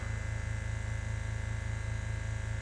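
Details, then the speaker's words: Vintage oil-filled arc welder transformer powered from a generator after cleaning insides, incoming AC about 250 V, drawing 480 W unloaded: steady even low mains hum with slight buzz, no crackle; healthy idle after power-up. "Generator. Well, so far that's one of them. 480 W just sitting there. That's amazing."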